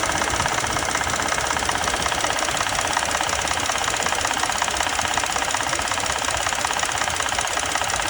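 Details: 2020 Ford Expedition Platinum: fast, even, diesel-like clatter over idle, an intermittent start rattle from the VCT cam phasers. The dealer found a TSB requiring all four phasers to be replaced.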